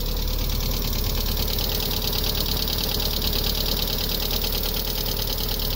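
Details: 1998 MGF, first run in a few months: steady idle with a busy, uneven ticking clatter about three beats a second; abnormal engine noise, cause unclear.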